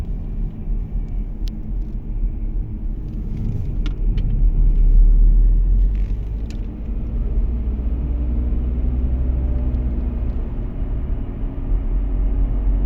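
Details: Audi A4 B8 Avant while driving: a deep droning rumble under the road noise, swelling and easing with speed. A failing wheel bearing, replaced with an FAG wheel bearing repair set.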